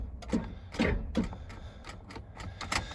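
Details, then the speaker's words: 1999 Ford F250 Super Duty sat in a mud hole 9 years, battery dated August 2015 group 65: sharp separate single clicks, no cranking, from a poor connection at corroded battery terminals; tapping terminals briefly restored dash lights. "oh now that single click like that tells me the battery connection sucks"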